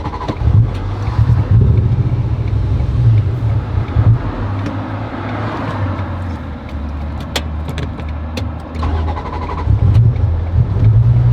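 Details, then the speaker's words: Fully built supercharged NSX (450whp, freshly tuned) on first drive; stalls and won't stay running, misfiring badly with rough stumbling, surging and dips in revs. Owners hope vehicle speed sensor fault is the cause, unconfirmed. "Dude, it does not want to run. This is not good. It's misfiring so bad."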